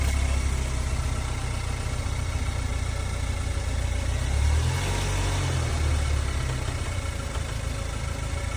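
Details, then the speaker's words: Impounded vehicle started with a jump: smooth, low, even quiet idle with slight swell when put in gear, no knocks or ticks; healthy engine. "Started right up with a jump. Boy, is that thing quiet."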